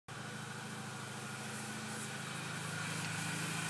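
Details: After throttle body and BPV were removed, cleaned and refitted: steady idle hum with a constant airy hiss not changing with the engine; owner suspects a vacuum leak, thinks not from the intake.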